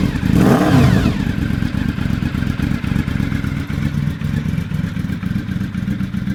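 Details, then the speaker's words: Honda motorcycle cold start on full choke on a mild day: catches, revs briefly, settles to an even steady idle without knocks, expected just above 1000 rpm when warm; normal. "Yeah, there we go. And once it's warmed up a little more, it'll idle just above 1000."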